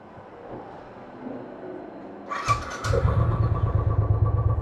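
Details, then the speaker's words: Royal Enfield Classic 500cc with misfire problem, owner attributing it to a small sensor's position: starts on second try, then idles with uneven thump and skipped beats; engine misfire. "एक बार मैं आपको दिखा देता हूं कि जो meeting की problem है वह किस तरह की है तो सबसे पहले एवं नजदीक जरा गाड़ी को स्टार्ट करते हैं"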